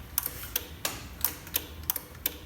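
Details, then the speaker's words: Salvaged car rebuilt as a custom kit car, in neutral with clutch in on first start attempt: sharp irregular clicks two to three per second from the fuse box, no cranking; relay chatters, owner suspects grounds or brake pedal needed. "Clicking in the fuse box there. Maybe I gotta put my foot on the brake. Still nothing."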